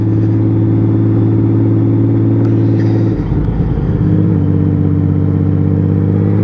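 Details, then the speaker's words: Honda Valkyrie 1500 flat-six after full engine rebuild, new battery, barely ridden in 7 years, road test accelerating to about 60 mph: smooth, even drone stepping down in pitch at a gear change then pulling cleanly again; healthy engine under acceleration. "doesn't that sound sweet when she pumps up? Oh God! And that was to only 60 mile an hour."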